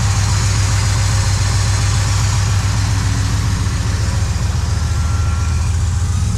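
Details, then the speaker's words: Hot rod after work on a rattle noise: loud, lumpy deep idle, about two pulses a second, no rattle or tick; muffler suspected as earlier noise source; normal running. "Sounds fine to me. Maybe it was the muffler some point in, like, a weird spot."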